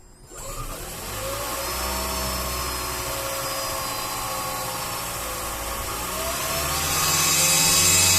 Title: Toyota Prius Gen 3 Engine buzzing noise